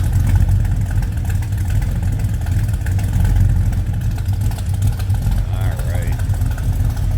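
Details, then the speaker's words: 1964 Chevrolet El Camino with a 454 big block, aluminum radiator and electric pusher fan: low, lumpy rumble at a steady idle with no knocks or misses, running healthy. "Let's come around and listen to this big block rumble a little"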